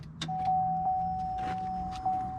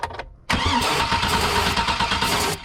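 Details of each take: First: Freshly replaced fuel pump in a 2003 Chevy Suburban 5.3L 2WD priming with the key turned to the second click, not started, to fill the lines and push air out: steady mid-pitched hum about two seconds; normal priming. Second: 2003 Chevy Suburban 5.3L 2WD, cranked with starting fluid sprayed in: catches and runs rough for a few seconds then fades, showing a fuel issue; fuel pump not priming, pump replacement planned.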